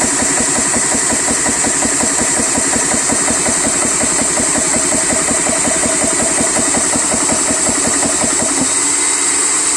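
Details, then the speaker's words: 4500 psi PCP high-pressure air compressor running while sitting slightly off level on an air-conditioner grate: busy high-pitched running with a pulse near two beats per second and a faint tick, source undetermined. "You hear that little ticking sound? I don't know if you can hear it or not, but I do. I don't like it. But hey, it's running."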